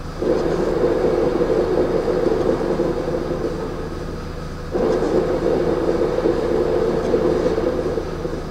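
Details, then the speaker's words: VW Polo at idle: constant low rumble with rough drone easing and returning; noise from clutch area, suspected clutch or dual bearing plate at rear of gearbox, gearbox to be removed; not confirmed. "esse é o barulho do Polo então agora é remover câmbio e descobrir se a placa dupla de rolamento ou a própria embreagem está errada né"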